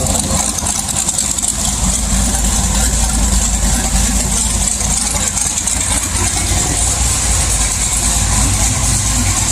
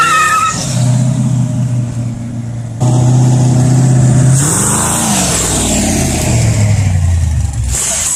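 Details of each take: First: LS1 V8 swap car with sloppy stage 2 cam, HP Tuners idle tuning after wideband fitted and AFRs corrected: steady, even deep burble with no misses or hunting; starts much better, healthy idle. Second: LS1 V8 swap being idle-tuned with HP Tuners, no wideband yet: lumpy rev rising and falling with uneven crackles and pops, running very rich, backfiring and popping.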